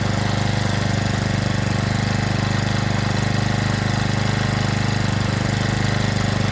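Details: Stihl FS65-4 strimmer after repair from oil overfill, warming up: fast, steady, high buzzy idle but not quite right; steaming at exhaust, which is to be removed and checked clear.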